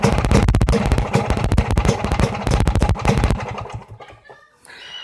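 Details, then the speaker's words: Vespa two-stroke running after new piston and rings replaced a scored piston that made a clicking noise; the clicking is gone, leaving a quick popping beat with loud fan whoosh and exhaust bark, no piston clatter; normal running. "Oke, jadi bunyinya memang udah nggak iclik-iclik, tapi bunyi kipas, knalpot juga keras ya kan, maklum karena ini motor Vespa, kipasnya besar ya, otomatis suara kipasnya lebih terdengar ya."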